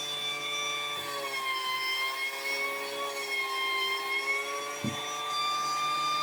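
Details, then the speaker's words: Battery-powered pool air pump after fixing intermittent connection and cleaning: steady, even motor hum with slightly wavering pitch and small handling knocks; starts every time now, problem solved. "Seems to be working every time now. I'm going to say problem is solved."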